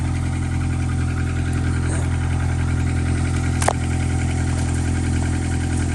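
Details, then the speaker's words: 1998 Honda Accord after a muffler replacement gives a steady, even low exhaust rumble, slightly deeper than before, with no puffing, ticking or rattles. No leaks were felt by hand. Normal exhaust note. "Sounds a little deeper. I mean, you can really hear the engine noise still, but at least the air is coming out of there, not straight into the trunk."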